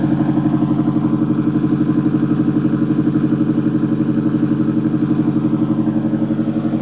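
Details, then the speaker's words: Rebuilt turbo Mazda Miata 1.6L with new head gasket, clutch, flywheel and unequal-length turbo manifold, warming to operating temp: steady, even low idle pulse, no ticks or knocks; gauges good, idling smoothly. "And so we're gonna go ahead and get this thing started, finally let it reach operating temp. The exhaust sounds so good."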